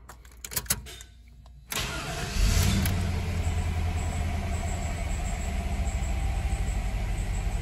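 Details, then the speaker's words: 1995 Chevy Caprice wagon, LT1/L99 V8, starting and idling: light, quick high-pitched chirp repeating over the engine note, from a worn serpentine belt and/or tensioner, both to be replaced. "when it's making that kind of chirping sound it's either the belt or the idler pulley has gone bad the tensioner"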